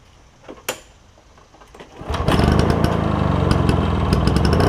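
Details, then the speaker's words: Toro push mower with a two-stroke engine believed Suzuki-made, first start after carburetor cleaning: a few clicks, then it fires and settles into a crisp, even, buzzy run sounding like a marine outboard; healthy running. "he's reading on the forums it sounds like a marine outboard as opposed to a lawnmower doesn't it but cool sound cool sound"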